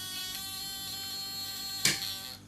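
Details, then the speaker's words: Relay coil fed 11 V AC in a tickler setup: harsh steady buzz, louder when pressed to the desk, with a crackly snap as a blue arc forms between normally closed and common contacts, which will pit and carbonize them. "n it on and immediately you hear the relay start buzzing now if i push the relay onto the desk it gets a little bit louder"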